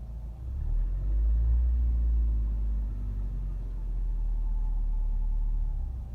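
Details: 2014 Nissan Rogue engine running with a deep, uneven knock about three times a second under a low rumble. Cause was connecting rod bearing run-out.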